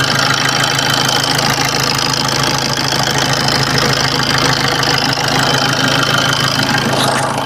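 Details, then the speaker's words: Maruti Suzuki Swift diesel at about 279,000 km, idle recorded with a mic near the engine: even, light clatter with no rattle or slap from the front. It sounds healthy; the only fault was a loose timing chain. "അത്യാവശ്യം normal വണ്ടി വണ്ടിയുടെ normal sound ഒക്കെ ഉള്ളൂ കണ്ടോ എൻജിന്റെ sound ഞാൻ ഒന്ന് correct ഒന്ന് കേൾപ്പിച്ചു തരാം മൈക്ക് വെച്ചിട്ട്"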